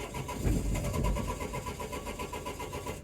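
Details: 2004 Renault Trafic 1.9 dCi diesel, DF195 fault returning after two or three cranks: steady cranking with uneven puffs, nearly catching but never firing; crank no start, cam/crank sensor signals to be checked.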